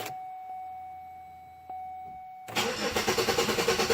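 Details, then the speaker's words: Chevrolet Malibu with an emissions issue and check engine light, warm after running a while: quiet, then the starter cranks with even pulses about three per second but never catches. Owner suspects the crank sensor. "she won't start ain't that something and then she won't restart no wonder got something to do with that crank sensor"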